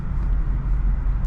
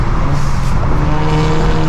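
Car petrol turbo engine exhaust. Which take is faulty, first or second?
second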